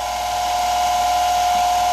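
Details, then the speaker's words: Lorch 6mm watchmakers lathe taking a test cut on 5 mm drill rod held in a collet: steady smooth hum, mostly motor noise. The headstock runs very smooth, and the bearings only got hand warm after about 10 minutes. "as you can hear this is mostly the sound of the motor the head stock runs incredibly smooth and the bearings don't get hot as I can feel"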